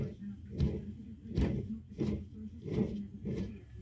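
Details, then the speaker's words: Electric lawn mower that hums but won't start: rotor play from bad bearings, heard as rough, gritty rumbling bursts as the motor, removed to the bench, is spun by hand. The worn bearings are very noisy. "Це люфтит ротор, а люфтит он по причине подшипников."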